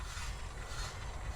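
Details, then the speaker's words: Nissan Juke with a constant morning squeak, wheel removed and disc turned by hand: a light dry scrape with a soft catch about every half second. The brake dust shield is rubbing the disc, cause unknown. "Возможно, оно находится с другой стороны, но я сейчас проверю. Скорее всего, нет. А почему оно трется , я не знаю."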